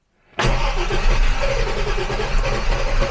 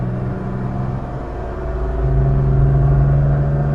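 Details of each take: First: 1967 Jaguar Mark 2 3.4 automatic, in park on choke after brake work: cranks briefly and catches fast into a slightly rough, lumpy idle. It is a little flooded, which the owner puts down to carb cleaner sprayed everywhere. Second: 1967 Jaguar Mark 2 3.4 automatic, after repair of backfiring under acceleration: deep, even drone swells smoothly as revs climb to 3,000 rpm up a steep hill, with no stutter, miss or popping; clean pull, engine pulling normally under load.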